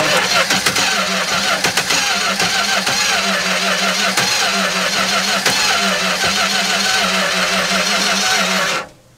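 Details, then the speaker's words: 1964 car with a 318 poly-head V8 whose ignition timing is deliberately advanced while cranking: labored, uneven cranking with the engine catching and kicking back against the starter. Timing too far advanced, so it is backed off slightly. "let's come back a little more because here it's starting to kick back a little bit"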